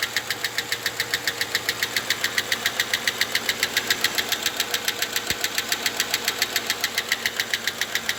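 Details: Engine ticking after valve stem seals were replaced in the head: sharp, even light tapping about 3.5 times a second at quiet idle from hydraulic lifters; stopped after oil was pressed out of the lifters.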